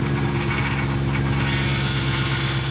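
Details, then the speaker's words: BMW E92 M3 V8 after major engine repairs, idling after first start: strong low drone with a harsh rasping screech over it, same as before; owner suspects clutch area. "the exact same sound as it did the first time it started in the last episode. So I really am thinking it is a clutch related sound, as it seems to be coming from that area."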